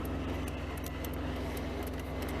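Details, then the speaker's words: Mercedes 300E (W124) with engine running while testing climate control and fuses; sharp irregular ticks over a steady hum, like a relay near the recirculated air button, coming and going: intermittent clicking, cause unconfirmed. "okay sounds like a relay or something that's recirculated air button"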